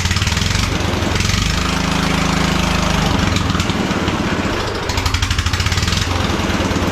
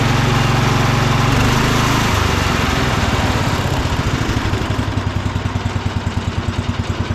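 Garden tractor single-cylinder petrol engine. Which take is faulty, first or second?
first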